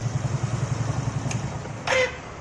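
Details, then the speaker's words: Suzuki Shogun motorcycle: small engine idles, is switched off, then a brief strained squeal from the starter motor at shutdown. "bunyinya seperti itu ya saat dimatiin motornya itu ada bunyi suara kayak batu sekali lagi"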